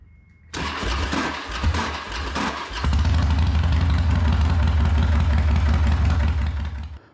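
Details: 2013 Harley-Davidson Dyna Super Glide, 24,000 km, new spark plugs, before repair: rough crackling cranking for about two seconds before the V-twin catches and idles; owner suspects the starter clutch is slipping rather than the compensator.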